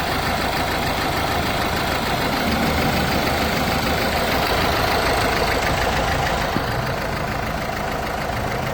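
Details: Renault/Dacia 1.5 dCi diesel with Delphi high-pressure pump at idle: dense, rough clatter that stays even throughout; abnormal idle noise, cause not identified.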